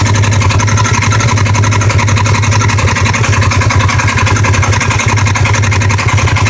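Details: 2015 Polaris RZR XP1K twin at idle: fast, uneven tapping of three to four knocks a second over the low exhaust beat, from the right side. It began after sitting, now on every start and warm, comes and goes; cause undetermined.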